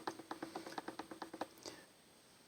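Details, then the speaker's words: Breville BCG800 Smart Grinder, a few years old, top burr removed: lower burr rocked by hand gives light quick clicks about eight a second; about 2 mm vertical play, with smaller but audible lateral play. "I'd say there's probably about two millimeters of play in that vertical play um lateral play is less but you can still hear it"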